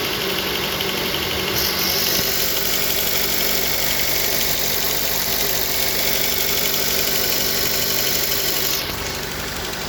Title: Стук двигателя Suzuki SX4